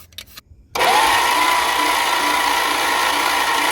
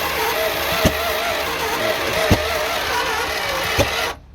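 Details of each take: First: 1963 Chrysler New Yorker limousine, sitting since 2003, badly scored and pitted cylinder walls, engine (361 or 413, unknown): steady fast whirring crank with a faint rising whine, spinning freely but never catching. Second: 1963 Chrysler New Yorker limousine V8, sat since 2003, just after correcting backwards firing order: runs rough and uneven with three sharp pops and fire from the exhaust manifold before cutting off.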